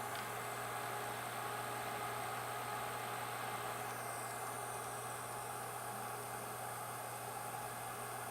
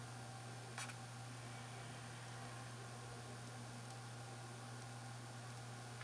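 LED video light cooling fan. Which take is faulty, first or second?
first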